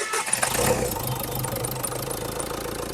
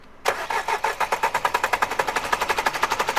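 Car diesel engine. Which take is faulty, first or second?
second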